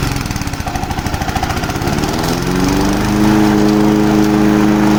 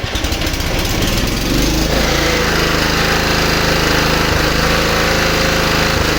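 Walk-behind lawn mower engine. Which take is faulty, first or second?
first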